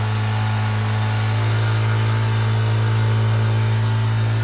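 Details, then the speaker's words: Tao Tao 50cc scooter running in a barn after starter fluid and long cranking: loud, deep, even drone at steady speed with no misses or knocks, vibrating the whole floor; smooth but noisy running. "The thing is so loud right now and vibrates the whole floor of the barn."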